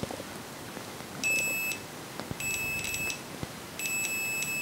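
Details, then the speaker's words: Lidl multimeter for about 10 €, continuity test: three short high beeps, each chopped into rapid ticks ("tack tack tack") instead of one clean tone; stuttering continuity beeper. "Und immer so mit den Dck tack tack tack tack tack tack könnte man fast ein Lied draus machen oder so."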